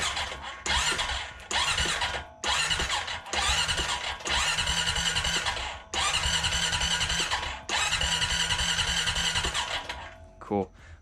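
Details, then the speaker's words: 2021 Honda Foreman 520 ATV after 100-mile oil change, 3 quarts added, spark plug boot off: several short starter whirs with pauses and no firing, cranking to push oil to the dry filter. "Okay, with that spark plug boot off, I'm just gonna do a few cycles of the starters, get some of that oil flowing."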